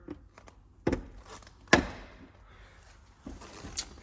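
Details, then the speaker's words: 2019 Chevrolet Blazer RS: a sharp single pop or thunk each time the driver's door is opened, in a quiet cabin. Door popping noise. "uh something else I do just want to point out here on your driver's door whenever you open it there will be a popping sound go ahead and listen for it here"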